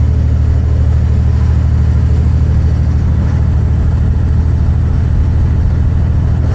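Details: 2006 Dodge 2500 5.9 24-valve Cummins diesel: heavy clatter with uneven lumpy beat and deep low rumble, rolling coal; bad injectors.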